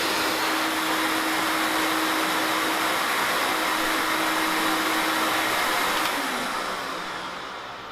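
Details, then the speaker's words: New Record Power CGV 386 (CamVac) cyclone dust extractor running while two hoses are attached to its air outlets. Even strong rushing airflow with faint steady hum, easing noticeably near the end as the hoses muffle the outlets; noise reduced significantly, healthy extractor. "Attaching both hoses reduces the noise level significantly."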